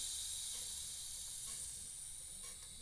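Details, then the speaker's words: Homemade centrifugal reciprocating air compressor (bicycle on wooden platform, modified air cylinder, flexing frame): strong hiss of compressed air rushing out of the tank, slowly easing; tank held pressure. "I have to operate within the limits of this crude machine I mean this thing flexes and this flexes here so if I had a good steel frame it'd be way better hear the air coming out now"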